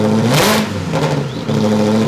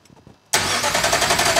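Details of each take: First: Ferrari engine in an Alfa Romeo 105 build, first start after fixing crank signal wiring: fires, revs up and holds an even, steady run with a clean exhaust note, no misses or knocking. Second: Ferrari engine in an Alfa Romeo 105 (Alfarrari) on first start attempt after fixing crank signal wiring: starter cranks with a steady rhythmic churn and a few weak coughs, but it does not catch yet; cranks but won't start.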